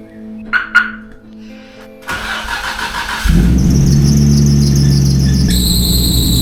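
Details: Nissan Skyline GT-R with a power steering fluid leak: cranks and catches, then a high piercing squeal rides over the idle and shifts pitch seconds later, belt slipping on cold start; leak suspected as cause, not confirmed.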